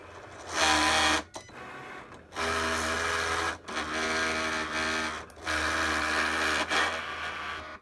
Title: Cricut grinding noise